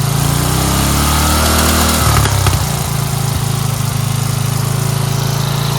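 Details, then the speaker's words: Dayton 11 HP single-cylinder lawn tractor, after readjusting the carburetor bowl fuel mixture screw that caused stalling: steady, even low thrum at lowest idle with no stumbles or misses; normal idle. "tell you, this thing is a beast. You saw on the lowest idle, right?"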